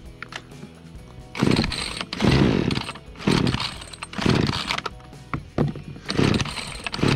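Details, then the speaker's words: Remington RM4620 chainsaw on freshly mixed fuel; repeated throttle bursts each flat and choked, not revving up as it should; bogging from a clogged spark arrester and dirty air filter. "all right so that is it as you can hear it is not revving up to what it's supposed to"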